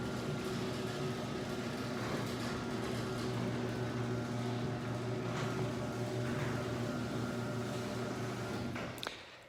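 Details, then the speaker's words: Chain-drive garage door opener before its rail is lubricated: steady motor hum with a loud rattling chain drone throughout the run, then it stops. The door itself is quiet; the noise is blamed on the dry rail. "so let's listen to the operator door itself is pretty darn quiet Oprah's kind of loud because I had to lubricate the rail [Music]"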